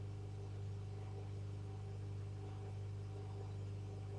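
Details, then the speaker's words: Homemade tube regenerative radio receiver: only a steady low mains hum, no stations or signal at any tuning or regeneration setting; builder blames the test coil. No reception, hum only. "nothing absolutely nothing no matter what I tune this into no matter what I turn the generation controlled up to nothing whatsoever I blame this coil"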